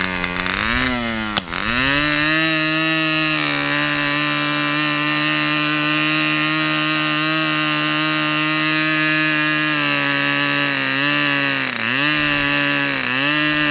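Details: Fox Twin glow engine after needle reopened, glow igniter left on throughout: steady high even buzz with brief dips, both cylinders running smoothly; peak 10,180 rpm noted for this run.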